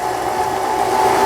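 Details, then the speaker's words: Toyota EC 164K home sewing machine, about 15 years old, being repaired after thick denim thread threw off the hook safety unit timing. Bobbin winding with the needle disengaged gives a smooth, steady mid-pitched whirr with no knocks, slips or rattles: normal winding. "쪽으로 면 바늘은 움직이지 않습니다이 실만 감게 이렇게 구조가 돼 있어 아주 편리한"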